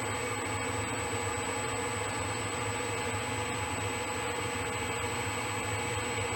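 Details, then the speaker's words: Boring head truing an egg-shaped clutch housing: steady cutting hiss with thin high ring and faint regular pops as the tool hits only two high spots per turn; interrupted cut on out-of-round bore. "a little bit more of a hit you can hear it popping in two spots"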